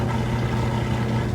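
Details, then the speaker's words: Kenmore stacked laundry center washer with belt and tensioner pulley drive, spin near full speed with the drain running: a steady even low hum, no knocking or thumping, fast, smooth and balanced; the tensioner may kick briefly at start, normally. "There it goes, getting up just about full speed. You can still hear the drain running, but it's got a nice fast spin,"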